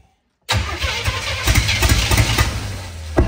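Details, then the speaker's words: Non-running US-import GMC Vandura V8 van, starting attempts while timing is adjusted: starter churns with irregular firing pulses but never settles into a run. Rough uneven cranking; timing suspected too far retarded. "it that was not right there I think we're running so we're either too far in advance or too far [ __ ] I think we're too far [ __ ] back"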